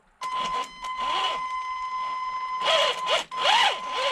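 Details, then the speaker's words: HG-101 1/10 budget short course truck, 550 motor, out of the box: bursts of motor whine rising and falling over a high tone with a scuffing edge; sounds like rubbing, owner suspects the motor/pinion mesh is too tight, binding. "no still not right there's something wrong with this I wonder if the motors too tight"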